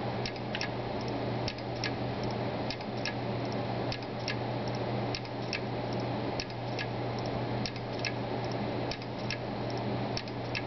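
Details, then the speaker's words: Brand-new Seagate Barracuda 1TB hard drive: sharp clicks in pairs or small clusters roughly once a second over a steady low hum. The owner suspects abnormal clicking; not confirmed. "But you really do get an indication of how loud this drive is, and it doesn't sound normal to me."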